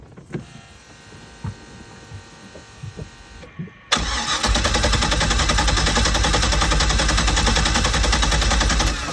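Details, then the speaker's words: 2005 Malibu boat, Indmar Monsoon 340 small-block Chevy with MEFI-4 ECU, after setting base timing to 10° and removing the jumper: idles at 750 rpm briefly, then stutters, nearly stalls and over-recovers to high rpm. Hunting idle, cause unknown. "I can see what's going on. And I don't know. I don't know what's going on because it's like it would idle down and then it would stutter and then it would almost stall and then it would recover and it would recover at like a extremely high."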